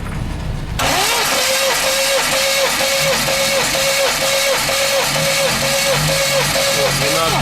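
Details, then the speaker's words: New 1.8 L naturally aspirated engine on an 11 block with a crank knock under investigation; slow, even cranking at about two beats a second on a tired battery, throttle floored; every cylinder reads 12, so rings and pistons hold compression. "Ну вот как видите всех ровно по 12 то есть поршневая всё тут держит нормально"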